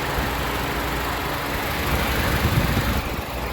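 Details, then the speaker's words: 2008 Nissan Sentra 2.0-litre four-cylinder, CVT, hood open, warm, freshly changed oil: steady, even low rumble with no knocks or ticks; normal clean idle. "it's running very clean as you can hear no knocking no abnormal noises"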